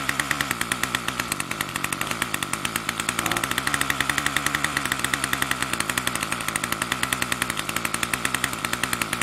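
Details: Troy-Bilt TB2MB two-stroke trimmer after a new short block is fitted, primed and choke on: buzzes fast and steady, never dropping to a slow idle; the throttle cable never returns fully to rest.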